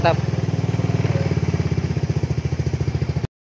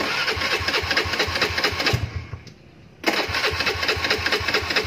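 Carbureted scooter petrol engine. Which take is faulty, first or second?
second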